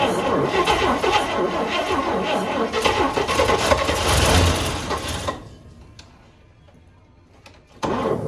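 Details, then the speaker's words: 1955 Chevrolet 3100 truck, unrun since about 1993, with new points fitted: catches and runs rough for about five seconds, then dies; ignition and plugs are good, but the carburetor lacks consistent fuel, so a remote tank is planned. "All right, so we proved that it runs. Got a new set of points in it that fired right up."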